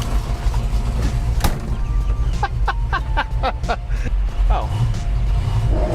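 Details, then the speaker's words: Built 302 V8 1966 Ford Mustang with two people aboard, launched hard in second gear: six or seven sharp metallic clunks from the rear drivetrain over a low rumble. The driver suspects the driveshaft or a twisted axle; unconfirmed. "i don't know maybe the axle is twisted"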